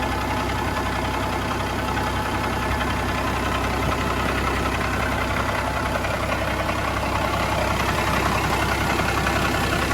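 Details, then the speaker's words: Peterbilt with freshly rebuilt Cat 3406C diesel, new head, injectors, lines, internals and gearbox: even, steady idle with regular beat, no knock or miss; smooth and healthy. "she looks beautiful [Applause] it sounds healthy really smooth"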